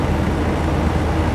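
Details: Hotpoint Porta-Cool 5000 BTU window air conditioner, cleaned and running a few minutes: a steady, even low hum and airy rush with no knocks, rattles or squeals. It runs healthy, with the reading at 35.7 degrees and dropping.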